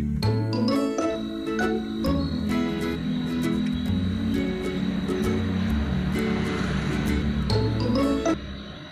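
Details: Customer's Asus laptop with one speaker playing YouTube music: harsh buzzy distortion with crackle on the notes from a brittle speaker cone, repaired by gluing cloth onto the speaker.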